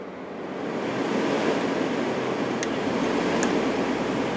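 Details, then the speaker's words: 1989 Climatrol Fedders 8,000 BTU air conditioner, Samsung fan motor oiled after being very stiff: steady even air rush with no knocking or scraping on low; runs much better, slightly off balance. "let's see how the fan runs there is low and off that is so much much better it's a little off balance cuz it kind of went backwards but this thing is uh doing a lot better now"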